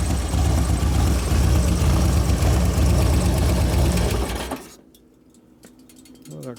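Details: 2011 Harley Road Glide FLT Twin Cam, hot: uneven idle with light top-end clicking about three per second until shut off, dropping a cylinder; owner says it wouldn't accelerate until about 3,000 rpm. Cause not yet found.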